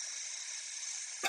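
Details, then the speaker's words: Toilet tank fill valve won't shut off: constant high hiss of water still flowing after the float rises to the top of a full tank. Owner suspects the fill valve is bad; it needs replacing. "up could stop but it doesn't stop I think this valve is bad so even though the water is all the way to the top of this it's not shutting off like it should"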